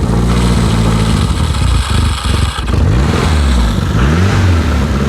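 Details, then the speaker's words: Renault 5 GT Turbo barn find, unmoved since 2001, running on a bypass funnel fuel feed because the electric fuel pump failed, choke out: a deep, even engine note that rises and falls cleanly with throttle blips, no knocks or misses; healthy. "wow wow how good does that sound I call that a victory that sounds good"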